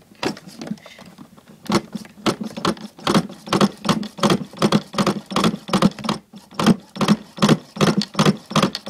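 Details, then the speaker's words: Pro Boat Miss Budweiser RC nitro boat, owner inexperienced with nitro: repeated sharp rattling cranking bursts, roughly two to three a second, never catching or firing; cranks but won't start, cause unknown. "did everything I was supposed to do start up and it won't start up"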